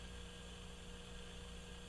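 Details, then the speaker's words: New resistor in a GE CX371 receiver amplifier/power supply rebuild, tested with B+ applied through a noise-listening tester at high gain: only steady mains hum and faint hiss from the tester's gain stage, no crackles or pops; quiet resistor, no noise. "so as you can hear that resistor is very nice it'll just sit here all day and just sound like that and that is a lot of gain all right that's why you're hearing the hum"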